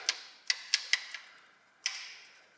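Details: Range Rover Evoque 2.0 Ingenium engine, rattle from startup, worse cold: engine turned over by hand, sharp uneven metallic clicks as slack timing chain slaps guides; bottom chain usually at fault, top also slack; chains, guides replaced.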